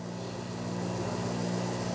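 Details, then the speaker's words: Homemade 2x72 belt grinder motor driven by a VFD, no belt fitted yet, spun up from the run button: thin high whistle over smooth low hum; quiet in person, normal drive whine. "Hear that whistle? You know, it's fairly quiet too for what it is. It may sound loud in the microphone, but for me sitting here right next to it, it's actually very quiet."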